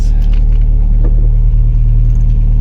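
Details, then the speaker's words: 1988 Jeep Comanche, Renix 2.5L I4, AX-4 4-speed, after fouled spark plug replaced, given throttle: deep even roar holding steady, no stumble or popping, pulling cleanly; back in business. "Well, let's see what happens if we give it some power. [ __ ] We're back in business, baby. We are back in"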